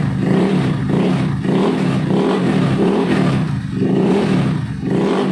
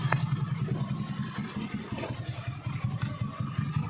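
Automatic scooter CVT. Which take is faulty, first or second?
second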